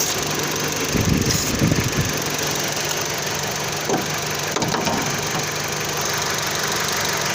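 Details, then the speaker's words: 2009 Dodge Journey with rough idle and overheating: rough uneven idle under brake-cleaner spray hiss, revs shifting when the spray reaches the intake, indicating an intake manifold gasket vacuum leak. "So that's a way that you can figure out if you have an intake gasket leak or not. There's a vacuum in there."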